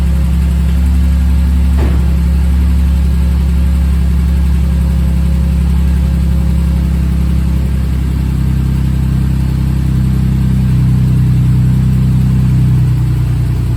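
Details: Rebuilt bored-over 3.9L V6 in a Jeep JK, warming toward operating temperature with coolant bleeding: steady, even low idle with a smooth beat, no knocking or ticking; healthy.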